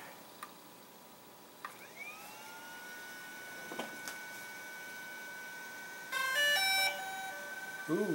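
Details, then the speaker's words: DJI Phantom 4 Pro at first power-up after ESC board replacement, battery fitted: a rising startup chirp, then a quick run of clean musical beeps as the motors initialise. Normal startup tones. "And now we'll give it the first shot of starting up here."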